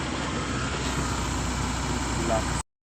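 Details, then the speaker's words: Suzuki Cultus that cranked but would not start, after ECU board repair: starts and holds a steady even idle with low smooth hum, no knocks or misses. "जी इसकी आ ripper कर दी है लगाता जी गप लगा दिया गाड़ी start करते हैं गाड़ी स्टार्ट हो गई"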